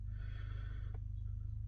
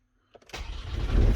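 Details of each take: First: Intermittent starting, battery and wiring judged not the cause, takes three key turns to start: brief click and dead pause with no cranking, then another attempt; faulty starter motor that needs replacing. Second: Van with intermittent starting, after fitting a new starter motor and reconnecting earth and fuse box wires: brief crank turns straight into a firm, steady diesel rumble on the first try; starts cleanly now.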